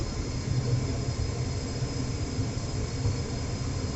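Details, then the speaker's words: Trane XR80 gas furnace blower motor, stock motor jumpered directly to 120 V for testing after failing to start: steady low airflow rumble with faint constant hum, no squeal or rattle; normal blower operation. "that's a good sign all right so the fans running the it's everything else is work looks looks like it's working like it's supposed to"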